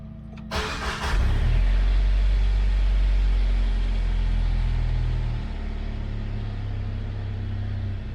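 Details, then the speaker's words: Four-cylinder after installing a catalytic converter to cut exhaust drone, about 75 dB running: starter catch then steady deep idle with less drony exhaust note; exhaust sounds healthy. "It's definitely not as drony,"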